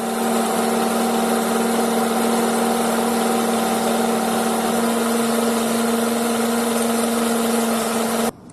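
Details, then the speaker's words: Honda CR-V engine running, noise traced from under the car with a stethoscope: a steady mid-pitched hum that does not change pitch. Caused by a worn belt tensioner pulley bearing, which was replaced. "现在我已经听出来，感觉是这个皮的轮这里，或者是粘紧轮有响声。"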